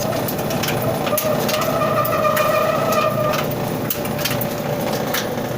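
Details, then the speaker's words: About 25-year-old clothes dryer running with a steady, even tumbling rumble after oiling the drum roller; the squeak is gone. "Ah, squeak gone. So all I do is a little bit of oil, and you know, this is the roller, typical that you'll find on most dryers."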